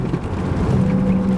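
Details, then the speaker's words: Opel Vectra A driving straight: low droning hum over road noise that grows slightly steering left and disappears steering right, typical of a worn front wheel bearing. "вот я еду прямо влилось сейчас сделаю тренд руля слышно увеличивается немножко сейчас сделаю вправо пропадет вообще"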